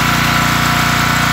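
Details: Robin Subaru EY28 single-cylinder engine on a Homelite LR4300 generator, started after fitting a new spark plug following carburetor work. Smooth, even idle with quick regular firing pulses and no misses. Normal idle.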